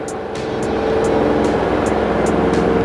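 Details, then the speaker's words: LG front-load washer-dryer after display PCB and touch panel replacement, spin test. Steady hum climbing as the drum speeds up, reading 1370 rpm of a 1400 maximum, smooth with no knocking or grinding: normal spin. "1300. It is coming only maximum, it's showing 1370. It's not showing 1400, but it is okay, it's perfect."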